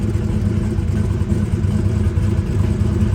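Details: Twin-turbo big-block Chevy Nova during a shakedown idles with a steady, lumpy low rumble at about three pulses per second and no misses. EGTs suggested cylinder 1 wasn't firing, but a temp gun showed all cylinders fine, so the EGT reading was false. One fuel pump was noisy.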